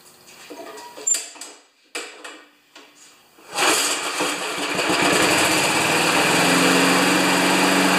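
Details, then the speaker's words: 1992 Wedgefield mower with Briggs & Stratton Classic engine, primed three pumps: after a few pulls catches and holds a steady low-pitched drone, only about 3000 rpm; top speed limited by throttle cable adjustment. "that's good it's only revving at 3 000 rpm since i played with the cable"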